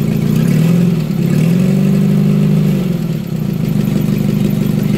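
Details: Renault 10 after its warped head was skimmed and a new head gasket fitted, run without coolant added yet: even, steady running with a slight rise and fall in revs and no knocks or misfires; issue seems resolved.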